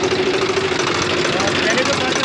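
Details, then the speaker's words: Swaraj FE tractor diesel after tappet (valve clearance) setting, loose tappet being the cause of earlier tar-tar ticking; steady idle with an even beat and no sharp tapping; valve clearance sounds correctly set. "आवाज़ थी जो पहले उसमें टर-टर की आवाज़ थी ना वो बिल्कुल गायब देख सकते हैं दोस्तों इसका पूरा फायरिंग चेंज हो गया"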